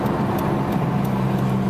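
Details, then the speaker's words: Vehicle driving; steady low whirring hum over road noise that grows with speed and on right turns loading the left side, decreasing when turning left. Worn left-side wheel bearing whir. "the worst that worrying noise will get and as soon as I start to turn to the left the noise will decrease"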